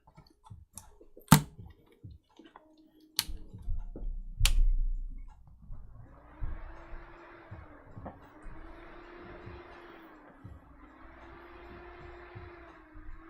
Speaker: that's making some funky noises cycle the capture card that sounds like it's power cycling really quickly the fan is just going way away that's power cycling